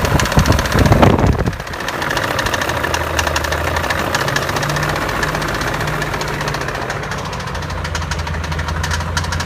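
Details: BMW E39 M5 V8 at idle: quick light ticking over steady idle, keeping pace with engine speed; mechanical clicking, source not identified.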